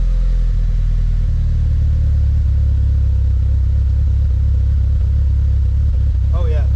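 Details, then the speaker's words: DSM first start after timing tensioner failure, head gasket job and cam install with machine-shop head; smooth steady low rumble, idling on its own without throttle, no ticking or stumble, a normal idle. "So it's idling on its own. The motor sounds pretty good. No ticking."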